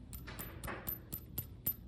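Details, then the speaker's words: Loose lug nut washer on the spare tire of a 1997 Toyota RAV4 fitted with 2003 Nissan Altima wheels; light metallic jingles, about three a second, with a bright ring as the Toyota washer-type nut doesn't seat in the acorn-style wheel hole. "I noticed something wasn't right when I heard a little jingling sound from my spare tire. The sound is coming from the lug nut washer."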